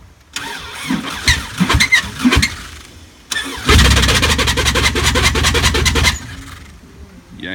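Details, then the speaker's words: 1999 Subaru Legacy wagon, restarted a few days after the timing belt broke: several ragged cranks, then it catches and stumbles unevenly at idle before dying; timing and engine wrecked by the failed belt. "you can hear it's not healthy at all. Oh man, this engine's junk."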